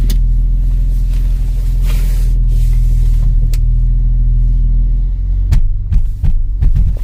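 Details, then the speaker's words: Mercedes-AMG GLC 43 at low speed with the steering at full lock on cold tires, heard from inside: low engine rumble, then uneven bursts of skipping, scrubbing thumps as the wheels crab, like low-speed understeer. "It sounds horrible, it really does, but it's essentially like the car is understeering at low speeds."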